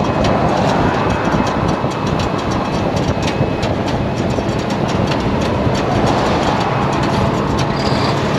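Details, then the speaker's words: Semi truck at highway speed a few miles from delivery; road roar with rough scraping and sharp metallic tings underneath, like metal dragging on the ground. A snapped fuel tank strap was dragging. "It sounds like a piece of metal dragging."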